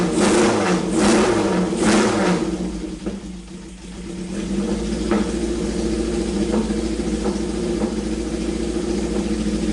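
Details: Honda CB750 four-cylinder, revived after sitting years with one set of points filed, coil fitted, oil level corrected: even idle after throttle blips, all cylinders firing cleanly, no misses; normal idle and revving.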